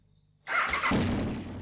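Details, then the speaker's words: KTM 990 Duke after fuel filter kit and oil pressure switch replacement, tank still dirty, restarted: quiet until starter catches, quick flare, settles into steady even idle; no error codes, oil light checked; normal start and idle. "seems to be doing his job give it a restart again happy day so far"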